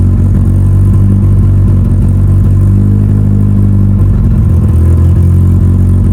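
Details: Mitsubishi Evo before dyno prep, cold engine, first start of the day after installing both fuel pumps as the fix; deep, even rumble with steady beat, no misses or knocks, holding smooth cold idle. Normal.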